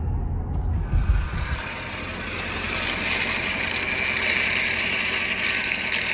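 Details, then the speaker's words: 2009 Mercedes SL550 R230, engine running; steady rough scraping whir from worn idler pulley, not the pump. "all right so it's not the pump making that noise it's the idler pulley right there right there you can hear it now"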